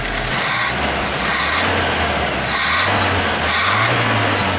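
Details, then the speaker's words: GAZ Volga M24 (Soviet, revived after years stored) at idle: low drone rising and sagging as the mixture screw is turned; it runs fastest with the screw fully in and shouldn't even hold idle, so something is wrong somewhere, cause not yet found. "le comportement vis-à-vis du réglage indique qu'il y a un problème quelque part c'estes vis de richesse serré à fond que le moteur tourne le plus vite. Il devrait même pas réussir à tenir le ralenti dans ces conditions."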